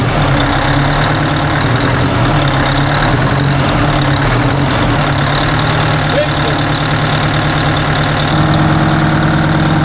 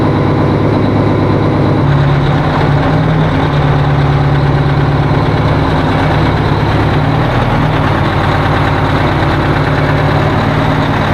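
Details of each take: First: 1980 Peterbilt 359 diesel idling after sitting; a stuck fuel rack was freed because fuel had turned to goo. Steady, even idle with a firm regular beat and no knocks or misses; the engine sounds healthy. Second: 1980 Peterbilt 359 diesel on first start of the year with jumped batteries: heavy idle with uneven, stumbling beat instead of smooth drone; rough running, owner suspects another lost injector.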